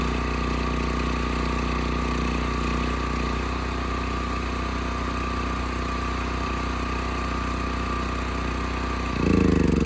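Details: Westinghouse 7,000-watt electric-start generator after gas tank, dead battery and gummed carburetor were dealt with: steady, even engine beat with constant low drone, no misses or knocks; electric start works well, engine runs nice and smooth. Normal running.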